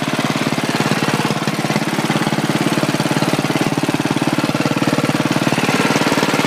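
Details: 1967 or 1968 Sears Suburban Super 12 Special tractor on a home-built propane conversion: single cylinder thumping about three beats a second, even and steady with no misses; runs well, slightly smoky from age.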